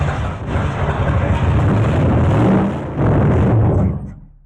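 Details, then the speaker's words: Camaro barn find parked 32 years, running on added fuel before a jerry-can fuel feed is rigged: loud, uneven V8 rumble that surges and sags as it catches, then dies away; runs rough and barely holds on. "Well, there you go. As you can see, it will kind of run and take off."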